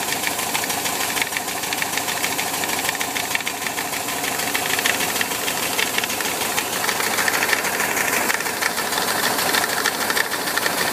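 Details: VW Bus with Type 4 engine, busy clattery idle with irregular light tapping near three per second, heard from the 12 o'clock position on the fan; knocking cause not identified.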